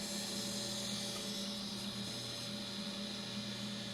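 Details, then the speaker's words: Old hard drive connected through a USB bridge and booted: a loud, steady whir with high-pitched tones and a faint pulsing about three times a second. The drive sounds like it is failing and may lock up the system. "oh wow that's a kiss of death right there can you hear it yeah that drive is going south it might actually cause my system to lock up"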